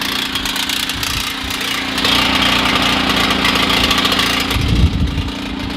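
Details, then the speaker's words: Portable generator switching from gasoline to propane, choke set to center; small engine running steady and gradually picking up speed toward full run; generator speeding up to run speed. "I've adjusted the choke so it's on center, and now you can kind of hear it coming"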